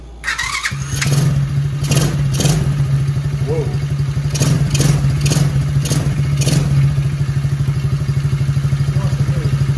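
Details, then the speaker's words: TAO 110cc ATV after swap to brand-new engine, Amsoil 10W-30 oil and fresh gas: cranks briefly, catches within a second, settles to steady even low putter with no knocks or misses; running well, replacing low-compression engine. "He's all back together running tip top, I believe."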